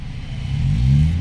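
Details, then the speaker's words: 2017 Honda City 1.5 engine revving with the AC on after the faulty compressor was replaced with a Japan-surplus unit: smooth, normal sound, no more droning. Same sound with AC on or off. "parehas na sila ng tunog mga sir Yan po ang normal na tunog nung ano ah City natin"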